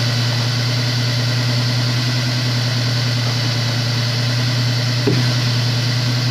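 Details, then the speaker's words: Honda S2000 idling smoothly with an even low hum and no misfire, after the melted, fried No. 1 coil pack that stalled it on the highway was removed; the second start sounds better than the rough first start. "now the car sounds really good you can see how it got melted"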